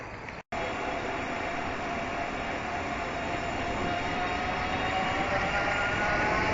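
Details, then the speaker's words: Fuji Royale bicycle with LeafBike e-bike conversion, ridden at about 30 mph after the brake squeak fix: rushing wind and a faint steady motor whine, no brake squeal heard. "my fast speed of 30 miles an hour, just to show that the squeaking problem is done, and I can do 30 or so on this."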